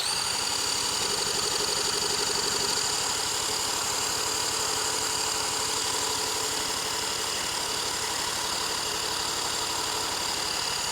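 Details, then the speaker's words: 1977 Honda Z50 stored 25 years, carburetor just removed and cleaned; engine spun over at steady rate about four pulses a second without firing, cranking no-start; spark and compression later confirmed good. "come on got nothing let me make sure I'm getting fuel let's make sure we still have spark"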